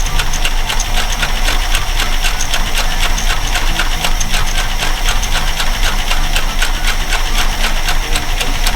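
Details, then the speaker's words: Parts-truck V8 at its first idle after a new fuel pump was fitted: a steady low rumble with even firing pulses and no knocks or misses. It idles smoothly. "All right. Another truck runs. I know. We'll sit here and idle."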